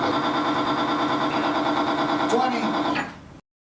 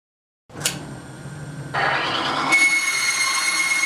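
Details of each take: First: Timken bearing under a 5 lb load test lubricated with Modern Spartan Systems accuracy oil: a steady, even mid-pitched hum with no screech or smoke, then a clean spin-down. The bearing runs normally, unlike competitor lubricants that failed within seconds. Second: Timken bearing test with competing lubricant: dry-running bearing gives a high piercing screech stepping up to a steady shrill tone, smoking within 3 seconds and failing within 5; bearing failure from lubricant breakdown.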